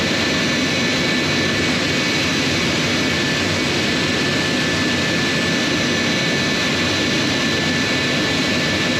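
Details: J79 jet engines on a successful ground run after refuelling and fixing leaks, to verify the leak repairs; steady jet roar with a constant high whine, no surging or pops. Normal, stable idle.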